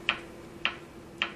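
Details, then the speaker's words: Philco 39-7 tube radio: crisp ticks about every half second over a faint hum. The ticking speeds up when the 75 tube's diodes are touched and stops at the 78 grid; a pin marked as the screen reads 14 V instead of 75 V. Intermittent ticking, cause untraced. "I want you to hear the ticking stops when I touch this to well it'll speed up when I touch to the dodes on the 75 and it'll completely go away when I touch the um the Grid on the 78"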